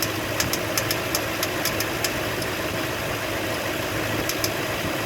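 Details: 2004 Toyota Sequoia/Tundra engine, warmed up, idling with sharp irregular clicks over the running sound. The owner suspects a failing water pump or idler pulley; not confirmed.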